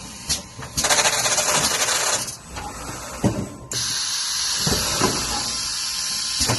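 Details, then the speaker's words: IOPAK MECH carton erector in automatic mode running program parameter 3, up to 12 cartons/min: repeating bursts of air hiss and short mechanical clacks as each carton cycles; normal production run. "We press it back into automatic mode. If we press the start, we will continually making boxes."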